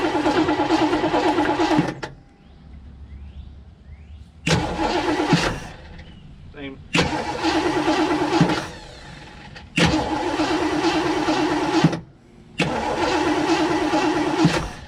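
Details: 1958 Chevy Biscayne, revived after years of neglect: five cranking bursts of about two seconds turn over steadily but never catch; crank no start.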